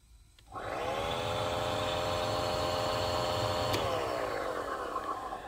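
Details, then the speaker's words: 2016 Honda CR-V climate control blower run through its speeds: spins up to a steady whirring tone with a faint rough drone beneath, then winds down; worn blower motor bearing rather than debris on the fan blades. "to me this definitely sounds like a bearing of the motor on not some leaf or some debris rubbing on the blades of the fan"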